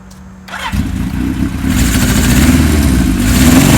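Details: 1977 Kawasaki KZ1000A four-cylinder, not run for years, after cleaning the points to restore spark: brief starter whir, then it fires and revs cleanly into a strong, even run; healthy start.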